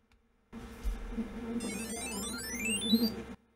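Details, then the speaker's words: Agilent 1253B NiMH-battery multimeter with a dim, failing OLED display: a short rising run of beeps over about three seconds, its normal power-on startup tune. "Yep. Nice little tune on startup."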